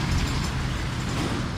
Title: maingay na bearing ng ebike #fypシ #ebike